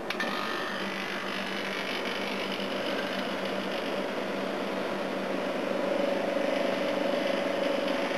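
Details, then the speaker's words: A/C unit on its proper run after its compressor sat for oil (sounded oil-filled on an earlier try): steady even fan rush, leaves sucked through, constant compressor hum, head pressure building, no knocking or rattling; running normally. "A few leaves and shit getting sucked through. It's definitely working. Cool, I've got some head pressure now."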